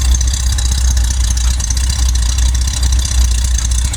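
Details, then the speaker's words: Corvair just after a cold start (electric fuel pump, carburetors): deep, even low burble with a steady beat and no ticks, knocks or misses. Normal cold idle. "Pump the gas pedal 3-4 times, turn the key, and I listen for the clicking of the electric fuel pump, and I wait about 10 seconds for the gas to vaporize in the fuel bowls and the carburetors. And fires right up every time."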